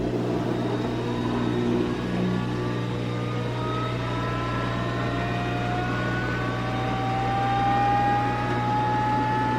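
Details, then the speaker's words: LG WM3488HS washer/dryer combo after fixing hot-air circulator fan motor (worn bearings caused the whine): steady low hum, clean tone climbing smoothly as fan spins up, no rubbing or grinding; normal dryer fan operation. "Much better. That was the problem."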